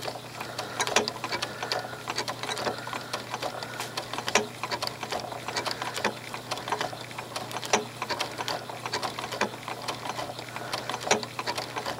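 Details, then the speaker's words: Quilt binding stitched by machine with monofilament thread. Light irregular ticking clicks over the motor hum; the rhythmic click comes just before the needle swings sideways for the horizontal stitch of the blanket stitch. Normal stitching click. "And if you hear that little click as I'm stitching, rhythm click right there, that is the sound the machine makes right before it decides to go over to the side for that blanket stitch, for the horizontal stitch of the blanket stitch."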